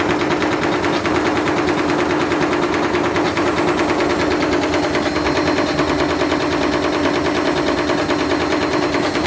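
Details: Candy Grand'O Vita GVC D91 CBB tumble dryer fitted with a universal washing machine motor: overspeeding drum strikes the housing, fast uneven clattering knocks about twice a second over a loud spinning rush, cutting the white swipe pieces off the plastic front piece.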